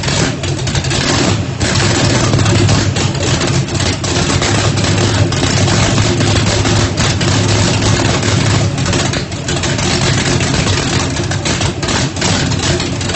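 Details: Ford Mustang, 1800 hp turbocharged small-block Chevy on methanol, first start after rebuild, brake-clean shot to prime: loud uneven loping V8 idle, choppy big-cam rhythm from Lil John cam, steady and firing cleanly; sounds healthy, normal idle with lumpy cam.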